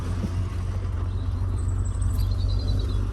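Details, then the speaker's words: Rover SD1 2600S, recommissioned after 17 years sitting, idling just after a new exhaust was fitted. A deep, steady, even rumble with no blowing or ticking from the rear; the exhaust is quiet and the idle is healthy. "absolute silence nearly so running extremely well even the birds are singing the sun is out no more awful noise from the back"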